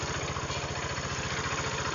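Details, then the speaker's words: Honda Vario 125 scooter idling, losing radiator coolant: fast even pulse under a loud rough whirring clatter; noisy water pump with failed seal, oil to be checked for coolant before pump seal replacement. "Udah dia makan air, bunyinya luar biasa ya, ribut sekali."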